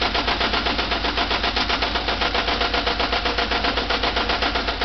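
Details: VW Type 4 2-litre flat-four running: sharp, even knocking about four per second, loud mechanical knock; cause still unknown, recorded for remote diagnosis.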